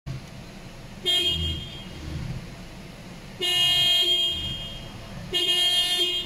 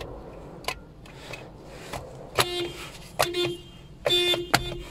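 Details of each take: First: Toyota car whose horn sounds when turning but often not with the wheel straight. Three separate horn blasts with quiet gaps between them, an intermittent horn caused by a failing steering spiral cable. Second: Toyota whose horn sometimes failed with the steering wheel straight, after replacing the spiral cable in the steering wheel: a few short, clean horn blasts that sound instantly. Horn now works normally.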